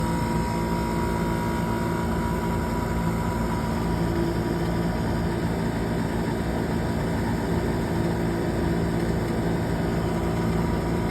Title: Furnace Buzzing Noise